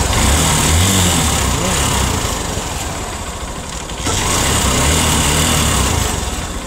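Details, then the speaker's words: Cold first start on a single-cylinder motorcycle: loud metallic tapping, about three knocks a second, over a ragged idle; carbon buildup striking the piston, and the noise fades once the engine warms up. "Yung kapagka malamig ang makina sa unang andar mga bossing ay maingay na parang akala mo ay may nagtatagukto kang mga bakal."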